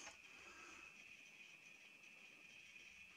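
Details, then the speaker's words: HP 3456A voltmeter at power-on, before teardown: a faint, high-pitched, steady buzzing chirp over a quiet room; traced to an open power supply filter capacitor. "then I came home and this was making a buzzing chirping sound which is done once before though that went away so I didn't worry about it too much"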